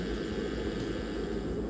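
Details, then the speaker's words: Les Paul copy with high-output Seymour Duncan Distortion pickups into a high-gain amp: steady hum and rushing noise at idle, not a grounding fault; rolling off the tone knob quietens it. "So grounding is not an issue. Is the pickup is a bit powerful."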